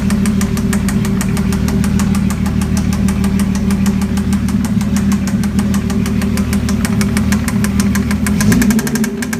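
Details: Mazda MX-6 / Ford Probe 2.5L V6, just swapped engine, idling with a steady rapid knock.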